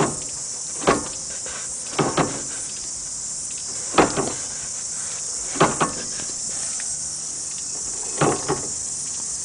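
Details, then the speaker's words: 1990 Mazda Familia right-hand drive shaft gives sharp, irregular clunks every second or two as the shaft turns, over a steady hiss. "all right so when the wheel road is turning it's making this clunky noise"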